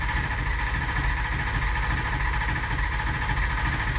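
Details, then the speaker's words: 2004 Ford 6.0 Powerstroke diesel no-start, cranking without firing: steady low clunk about twice a second; suspected high-pressure oil problem, IPR valve to be air-tested. "You hear that? Clunk, clunk, clunk, clunk, clunk. That's all the cranking."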